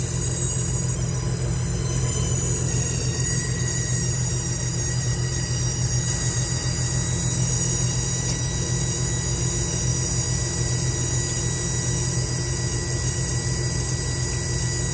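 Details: Goodman AC condenser outdoor unit: steady hum under a constant thin, high-pitched squeal at one pitch that stops when the coil is wetted. Fan ruled out; owner suspects valving or compressor, not confirmed.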